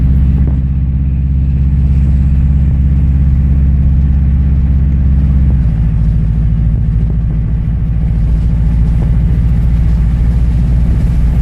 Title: Unfocused interior noise of exhaust leak